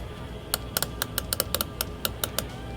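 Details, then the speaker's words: Whirlpool side-by-side refrigerator that is not cooling, microphone held up at the defrost timer while the dial is turned clockwise with a screwdriver: crisp, uneven little ticks several a second as it advances toward the big click into defrost. Normal timer clicking. "going to hear the little clicks. And eventually, you're going to hear one big click. And you'll hear the fan shut off. Now, it's in defrost."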